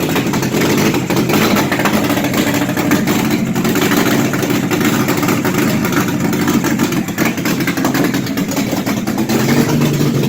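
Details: Engine during a timing check: a steady, even idle holds for ten seconds with no misses or surging; running smoothly.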